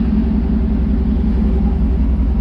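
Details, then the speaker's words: 2009 Dodge Ram 1500 Hemi (TRX4) after AC compressor field coil repair (loose snap ring had damaged the clutch), viewed from underneath with the engine running and AC switched off: steady, even low rumble with no chirp, squeal or flutter; serpentine belt running smooth and quiet, normal. "see any issue with the belt she's running nice and smooth"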